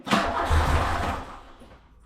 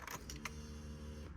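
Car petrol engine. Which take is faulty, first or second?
first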